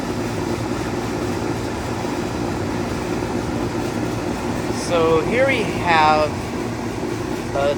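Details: 2003 Carrier 38CKC 3-ton AC condenser with Bristol reciprocating compressor and high-speed fan, three 18-inch galvanized Revcor blades, just after startup: constant even fan rush over steady compressor hum, no knocking or rattles; running normally.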